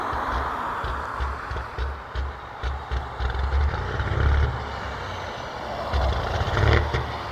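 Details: Big-rig diesel truck smoking badly, pulled over idling with occasional revs, later driving off slowly with no power: a deep rumble surging unevenly with occasional revs. Running rough, cause unknown.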